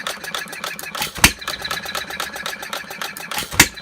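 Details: 1/2-scale Paul Breisch Olds hit-and-miss gas model engine, freshly restored, running very slow without cooling water, cylinder barely warm: light valve-gear clatter, sharp pops seconds apart; fires every draw, even when drawing twice; normal.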